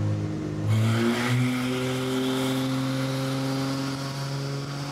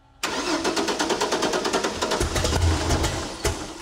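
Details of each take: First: 1964 Ford flatbed, turbocharged Ford 300 with FiTech EFI, another chassis dyno pull; steep gearing needs heavy load to climb. Engine note rises smoothly, no misses or knocks; healthy, about 75 mph wheel speed. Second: 1964 Ford flatbed, turbocharged Ford 300 with newly installed FiTech EFI, first start before tuning: fast steady cranking for about two seconds, then it half-catches and stumbles without settling; hard start, EFI still has to learn.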